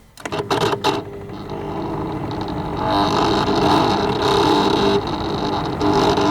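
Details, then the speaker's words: Dehumidifier reported to make weird noises and not always come on, fan on high speed: a few handling clicks, then a steady mid-pitched buzz over the fan's rush; fan bearing suspected to be going, source of buzzing unconfirmed. "so we've got some kind of buzzing sound if I turn it back on again"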